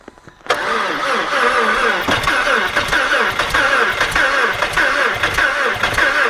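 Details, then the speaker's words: Audi A4 Quattro 2.0L FSI, cold start after cylinder head repair (burnt exhaust valve, leaking valve on cylinder 2, blown head gasket between 1 and 2), mass air flow sensor unplugged: catches, then lumpy uneven idle; rough cold running, cause not confirmed. "up okay yeah it doesn't like the coal I guess uh try it again"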